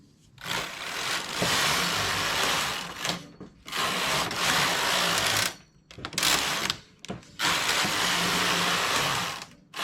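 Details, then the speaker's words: Domestic knitting machine knitting open stitch with a single fine yarn; four rasping carriage sweeps with faint needle squeak, and moving the carriage too fast can break or damage needles. "ce bruit ça fait ce grincement des aiguilles si je prends la machine avec le chariot trop vite ça finit par casser l'aiguille endommageant l'aiguille"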